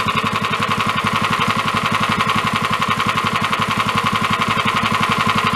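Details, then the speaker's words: Engine knock on a dune buggy engine at idle: a sharp, even metallic knocking several times a second that is louder than before. Suspected rattle, possibly a failing bearing. "the Ben is rattling proba we can turn it down"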